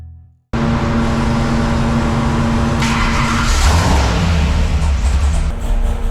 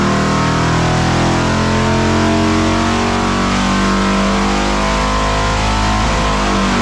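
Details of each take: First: 572 cubic inch Hemi, high compression, with 34° timing, at wide-open throttle and high rpm; a loud roar with an uneven, stumbling beat: misfire under load, so timing is to be backed off to 28°. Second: 572 Hemi engine on racing fuel, timing backed from 34° (misfired) to 28°: hard, even roar holding high revs about seven seconds, then easing to a lumpy idle; pulls clean with no misfire, runs much better at 28°.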